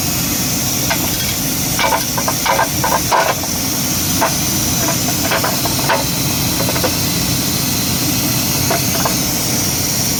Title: Knocking sound ford ranger 2.2L